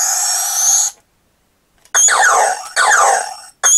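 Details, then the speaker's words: Vintage New Adventures of He-Man Powersword toy, electronics partly repaired: a warbling sound effect keeps replaying after the button is released, and the side button changes the sound. The sound module plays continuously; the fault is still unresolved. "But yeah, if I let go of that button, you can hear it just keeps making a noise."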